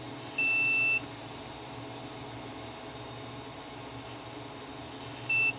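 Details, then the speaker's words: Multimeter audible continuity mode on a TV board under repair: two clean high beeps, one about half a second, one shorter, signaling continuity while hunting a short; short still not found. "here oh you can't hear that can you it's coming from the meter trying to get"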